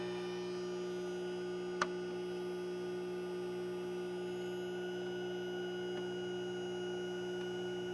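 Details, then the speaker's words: Bench servicing a 2002 Zenith TBBR1352Z 13-inch TV/VCR combo with stuck buttons being heat-softened: steady low fixed-pitch buzz from the isolation transformer, an artifact of kickback on the line; normal, harmless hum. "the buzzing you here is just an artifact of kick back on the line and for some strange reason my uh isolation Transformer loves to"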